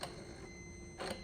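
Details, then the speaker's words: Gen 3 truck fitted with a Gen 4 90mm drive-by-wire throttle body and 99-02 TAC module for a TBSS intake swap, key on, pedal pressed: two short whirring clicks a second apart plus an unexplained ringing; throttle blade moves normally. "I'm not quite sure about that ringing noise, but I heard something move. All right, I just watched the video. The throttle did throttle stuff."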